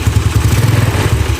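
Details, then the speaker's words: Yamaha Nouvo carbureted scooter, after the upper valve clearance was found tight and loosened: steady, even low putter at idle with a regular firing beat and no misses or clatter; revs return to idle promptly, a normal idle. "Ya normal ya teman-teman bisa denger ya dia balikannya juga normal langsung turun di sini kita kecilin lagi gasnya bisa normal ya"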